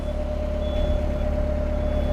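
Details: Perkins 4.108 marine diesel, first run in about six years: settles into a steady, even low chug with a faint constant tone on top, no knocks; oil pressure and temperature good; normal healthy idle.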